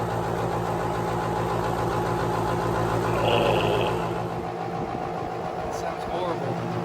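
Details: Central AC outdoor unit (Bosch) running nonstop over a long holiday weekend: a steady droning hum with a rough, strained undertone that never cycles off; a single-pole contactor stuck closed kept the compressor running and damaged it.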